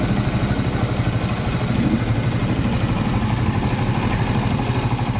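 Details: Honda TMX155 CDI single-cylinder motorcycle at idle before repair: quick, light ticking on every turn from worn camshaft and cam followers; fix is replacing timing gear, camshaft, cam follower and cam follower shaft.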